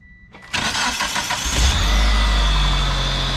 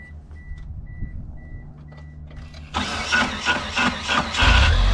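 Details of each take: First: 1997 Mitsubishi Eclipse GS-T after replacing the aftermarket starter that caused metal-to-metal cranking noise: brief smooth cranking catches quickly into steady even idle, no grinding or clatter; normal cranking and start, fixed. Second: 1997 Mitsubishi Eclipse GS-T: harsh metal-to-metal grinding over uneven cranking pulses for about two seconds before the engine catches and runs. The same noise persisted after swapping to an aftermarket starter; the transmission has to come down to investigate.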